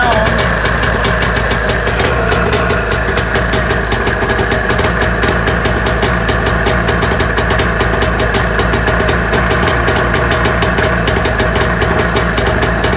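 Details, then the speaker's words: Arctic Cat EXT 550 snowmobile after coolant leak repair, freshly refilled with coolant and plugs in, morning start: fires right off into a crisp, steady two-stroke idle with even popping and no misses; normal idle. "start it up see how easy you start this morning wow right off the"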